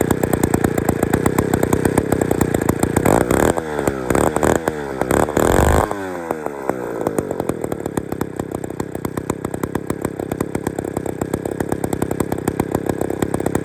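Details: Old Bolens gear-drive two-stroke chainsaw, never heard running before, on brand-new piston rings with little runtime and no bar and chain fitted: sharp, rapid firing, a brief rev around four to six seconds, then a steady, even idle. It runs well.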